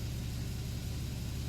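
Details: 2013 Porsche 911 Carrera S manual, after repair of multiple-cylinder misfire codes with genuine Porsche parts, fuel trims now near zero: smooth, steady low rumble, no stumble or skip; flat-six idling evenly on all cylinders.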